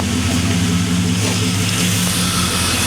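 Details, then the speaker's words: 2001 Chevy Silverado 5.3 Vortec V8, warm, idling after a Flowmaster Delta Force cold air intake install: even low rumble with a slightly drummy exhaust note and no knocks or misses. It sounds good. Healthy. "she sounds absolutely awesome can't wait to go take her out for a test drive"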